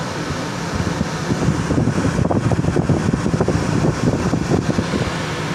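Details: Air conditioner under the floor of a Redwing 34 trawler boat: steady low rumbling hum with a fluttering rush on top, no clear knock; runs noisier than it should, cause not confirmed.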